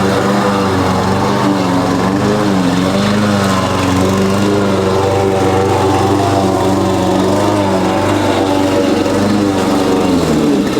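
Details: Husqvarna push mower after carb cleaning and oil refill (Rotella T6), mowing: steady single-cylinder drone sagging under load with backfire; deck set too low; loose blade suspected of rattling underneath.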